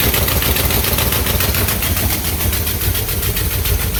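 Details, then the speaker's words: 1967 Cadillac hearse, first start after sitting over a year, top end checked and repaired, cranked to build oil pressure: loud, lumpy low rumble with uneven pulses about two per second at idle; runs, but rough. "Sounds like [ __ ] but it lives."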